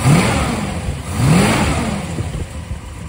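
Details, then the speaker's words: 1967 Dodge Charger rebuilt 383 big block with aluminum heads, original carb refitted, vacuum advance on manifold vacuum, base timing 16°: blips twice then settles into steady even idle, no misses or knocks; running happily. "it sounds like it's going to be pretty happy here"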